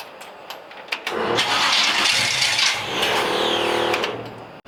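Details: Small-block Chevy V8 in a C10 truck with a newly fitted 700R4, during carburetor tuning: a few clicks, then fast cranking that never catches; the owner suspects the engine isn't firing and checks the distributor. It was later started.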